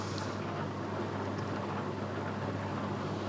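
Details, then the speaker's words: Fisher & Paykel 8 kg condenser dryer, drum not turning and humming at power-on: low steady motor hum with drum rumble, running only after belt pulled by hand; failed 8uF motor start capacitor, replacement fixes it. "did you see how all I needed to do was pull that belt to start turning that drum and it started going that's because this capacitor needs to be replaced"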